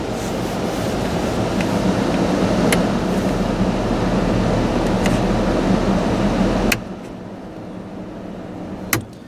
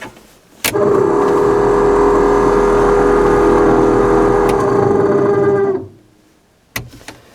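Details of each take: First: 1991 Ford F-150 heater/AC blower after replacing blower motor and resistor control module: all speeds working, smooth steady rush of air on high with no squeal, rattle or ticking, clean shutoff; successful repair. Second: 1991 Ford F-150 heater/AC blower motor before replacement, running on high, the only working of four speeds: loud steady roar with uneven gravelly undertone, worsening over time; motor worn out, resistor module also replaced.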